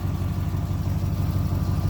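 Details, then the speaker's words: 1987 Camaro IROC Z28 running again after a bad wire was fixed, timing slightly off, idle to be raised: deep, steady V8 burble with even lumpy beat, no ticks or misses; healthy idle. "oh man she sounds great sounds great"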